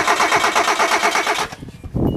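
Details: Hyundai cranked on a battery charger, with no fuel pump sound heard: the starter spins the engine in a steady cranking rhythm, stops and retries, never catching; a crank no-start.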